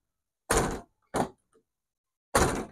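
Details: Car door after the hinges were adjusted to fix a sagging, uneven door: three clean, solid thuds with no rattle or scrape as the door shuts and latches properly.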